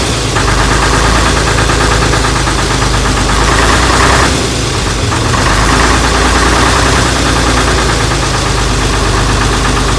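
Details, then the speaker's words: AEC Matador 7.7 litre diesel on a cold day, first run after injection pump and injectors overhauled and refitted; loud, even clatter with steady low beat holding rhythm, sounds all right; normal diesel running. "All right, we're going to run it up, wait, and enjoy our adjustment. Well, so far sounds all right."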